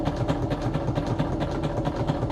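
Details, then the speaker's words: Sewing machine stitching through stiff acetate sheet holding sequins. Even, rapid thumping of about five a second as the needle punches through; normal for this material, not a fault. "You may hear it thumping because, yeah, when you sew through acetate, machine is not super thrilled of it about it, so it kind of makes some kind of thumping noises."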